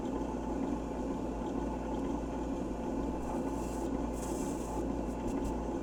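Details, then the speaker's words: 1978 Fisher-Price phonograph, model 825, running with a microphone set up: a constant coarse whir with a low hum underneath and no speed change; the turntable drive runs fairly well but is noisy, with a slight wobble. "Well, it seems to run fairly well other than the noise and it's got a little bit of a wobble to it."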